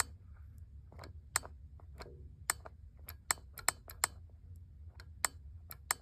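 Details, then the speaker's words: 2015 GMC Terrain 2.4 Ecotec intake VVT solenoid bench-tested with jumper leads, sharp crisp plunger clicks as power is applied, working normally (about 11 ohms); code P0016, timing chain jumped and stretched from low oil, fixed by new chain kit. "that tells us that it's most likely working um better be working if it's clicking I can hear the plunger inside of there moving so that's good"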